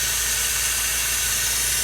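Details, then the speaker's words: MCI 9 bus air brakes: constant sharp hiss of escaping air; bad DD3 brake chamber diaphragms blowing air, also leaking out the bottom of the inversion valve. "The DD3 diaphragms are bad. Which we knew they were by the way it was blowing air through there."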